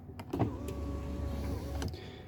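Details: Kia Sorento (2010-2014) driver window master switch stuck down: the window motor whine keeps running after the glass reaches the bottom, then cuts out when the contact disconnects.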